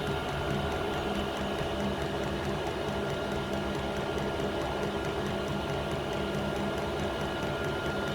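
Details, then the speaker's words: Diesel air heater on an indoor test bed before fitting to a boat, running a couple of minutes: even steady fan whir with faint regular pump ticking, no surging or misfire; hot air blowing, running properly. "but yes it it worked yes uh I'm I'm amazed it it's been running there a couple of minutes"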